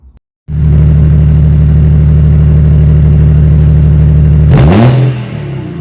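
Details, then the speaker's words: BMW M57D30 diesel from an E46 330d swapped into an E36 compact, new lightweight exhaust: settles into a steady, even idle, then one clean rev climbs and drops back smoothly. Normal idle and rev; starts, drives, stops fine. "Right. So that's it in done and running. uh starts on the key, drives, stops, everything works."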